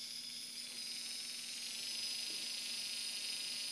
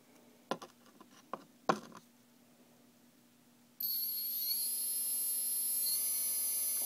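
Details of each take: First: Turnigy D3530/14 1100KV brushless outrunner motor, defective: steady hissy high-pitched whir with a gritty rough edge and visible shaking from bad bearings, unlike a quiet good motor from the same batch. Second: Turnigy D3530/14 1100KV brushless outrunner, good-bearing motor from same batch as a defective one: steady, clean high-pitched whine, quiet, no roughness or shaking; normal healthy bearings.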